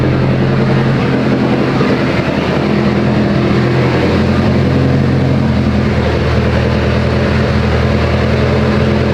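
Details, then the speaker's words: Mitsubishi Evo 8 right after head work, first start, warming up: very loud, deep, uneven loping idle that holds steady without stalling or knocking; revs fine, oil pressure good; normal lopey cam idle. "this thing's so freaking loud guys it does sound funny idle it sounds like it has a mess idol i'm gonna let it warm up all the way though because it's running fine it revs fine"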